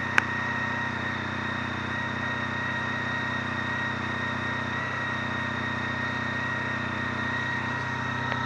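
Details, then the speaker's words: Honda Pan European ST 1300 motorcycle at idle: smooth, even low hum, no knocks or ticks; quiet engine purring, normal idle. "C'est ça le bruit que ça fait. Ça ronronne."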